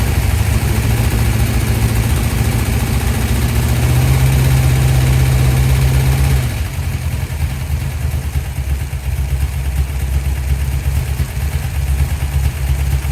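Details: 1972 Dodge D100 V8, first start after solid roller cam and Speedmaster 265cc head swap. Loud low idle with uneven lumpy beat dipping and stumbling as revs settle: rough running; owner says something sounds funny.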